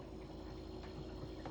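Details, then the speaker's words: Kenmore refrigerator (bought October 2017) just plugged back in after replacing the circuit card in its bad, obsolete compressor inverter box. Before the repair the fan ran but the compressor wouldn't kick on. Now a quiet, even low hum with no clicks: compressor running normally. "I think the compressor's running. Yeah, the compressor's running. Yeah, the compressor's running."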